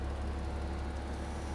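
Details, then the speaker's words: Porsche 986 Boxster convertible top raising after convertible top button replaced: steady, even low motor hum with no grinding, straining or clicking; top works normally. "Well, the up was always good. Yep. Look at that. It's working."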